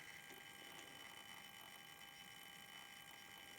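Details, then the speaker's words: DC/DC converter (108 V to 12 V, ~400 Hz switch-mode) from 1988 Soleq Evcort electric car, under diagnosis after shorting out: faint buzzy whine with uneven rattle; choke chatters matching irregular transistor switching pulses. "going to switch to dc coupling here and you can see pretty clearly that the pulses do match the sound coming out of the choke"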